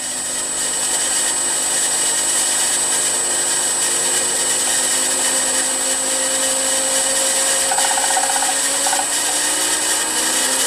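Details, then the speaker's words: Milling machine M head after new pulley-housing bearings, VFD at 60 Hz full speed on highest pulley speed: steady high whir with faint even motor whine, no grinding or rumble; spindle housing quiet and healthy. "that sounds really promising the the spindle or the pulley housing is very quiet there's still that noise in the motor"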